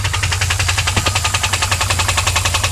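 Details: 2001 WS6 LS1 5.7L V8 idling, refilled after the oil was found empty and oil pressure had dropped from about 30 to 0; it first ticked only at high rpm. Now a sharp, even, constant tick; source undiagnosed.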